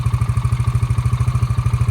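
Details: 2002 Honda Rancher ES ATV, sat 12+ years, revived with battery and carb clean: quick, even single-cylinder putting at idle, loud exhaust pulses (exhaust needs fixing), no knock or miss, no smoke; engine runs healthy.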